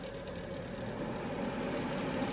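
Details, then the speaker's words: Nearly 20-year-old desktop PC, Ultra Kaze fan turned up to full speed: steady rushing airflow and constant mid-pitched hum, wind-tunnel loud but smooth, no ticking or rubbing; normal. "Yeah, it sounds like a freaking wind tunnel, right? Alright, and I can turn it off."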